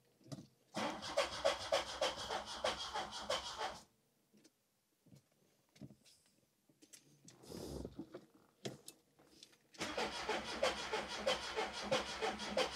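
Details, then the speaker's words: Rebuilt 16-valve MK2 Golf GTI engine, first start after new HT leads, spark plugs and tightening leaking injectors; cranks, catches, revs in rough bursts then pulls up cleanly and idles, slight exhaust smoke, small water leak; normal start and revving. "look it's idling now as it started up it's idling smoking a bit from the exhaust so if I need to tighten that up"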